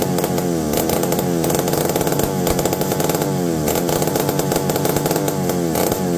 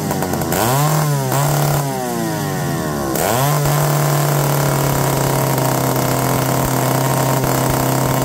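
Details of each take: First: McCulloch D44 direct-drive chainsaw, reportedly unrun for 15 years and previously a hard starter, revived; steady high buzzing two-stroke note, no misses or surging, running well, though the owner feels something when turning it over and suspects a coil needing baking. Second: McCulloch D44 chainsaw, unrun for 15 years and a known hard starter, revived: revs up then steady buzzing run with brief dips, cutting out here and there; cause unconfirmed.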